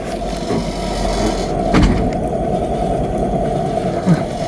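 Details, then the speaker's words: Wheel turning freely on the jack, vehicle reported shuddering when driven: continuous rough, gravelly grind that doesn't smooth out, identified as a failed wheel bearing. "เนี่ยเสียงเนี่ยเสียงเนี่ยเสียงลูกปืนชัดๆเลยเนี่ยเนี่ย"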